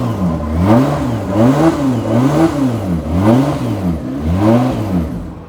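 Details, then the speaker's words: 1995 Mitsubishi FTO barn find not started in about 10 years, first start after fuel priming: engine rises and falls in quick blips and won't settle to idle; cause not confirmed. "She won't idle. It's been a while."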